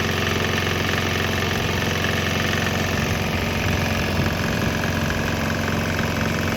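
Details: Swan X 165F Chinese single-cylinder diesel running on straight used canola (fryer) oil; steady chug, even firing about three per second, no misses or knocks; normal running.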